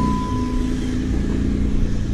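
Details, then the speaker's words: 2012 Jeep Wrangler JKU at idle after a clutch, pressure plate and throwout bearing replacement: a steady, even low rumble with no more throwout bearing ticking, though a small exhaust manifold leak from a broken bolt remains. "everything is smooth and quiet as it should be clutch feels nice so let's take it for a drive"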